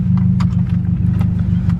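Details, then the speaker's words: Mazdaspeed6 engine, heard just before driving off: deep, even rumble with no knocks, ticks or whine over it, sounding real good; running smoothly. "Sounding real good."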